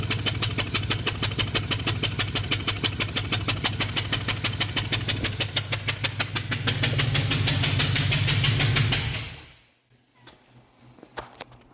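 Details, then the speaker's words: Chevy 1500 with misfire on cylinder 7 after injector swap, started with a spark plug removed to check for spark: sharp, very regular chuffing bangs about three a second, then shut off; cylinder blowing out the open plug hole. "This time we'll just fire it up and I'll just carry it into there. See what we got going on. This is going to sound awful."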